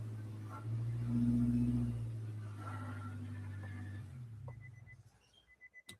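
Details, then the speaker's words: Nissan Altima race car after repairing rodent-chewed coil pack wiring, idling: a quiet, steady hum with no stumbles, then a few chimes. No misfire, though the exhaust is noted to rattle. "Sounds pretty good. No misfire. Nice."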